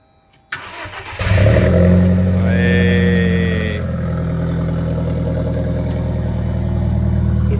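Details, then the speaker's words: Alfa Romeo 4C starting after battery replacement: brief crank catches quickly, flares, then settles to a steady even idle; normal start, check engine light remaining from when the old battery died. "Oh, sounds good. It's got power. It's got power now, yeah."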